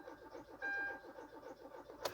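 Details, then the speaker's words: 2013 Kia Rio in 20-something-degree cold cranks quickly and evenly but never fires. Owner suspects no power reaching the fuel pump, possibly the ECM blocking it through a relay. "see it cranking but it don't start"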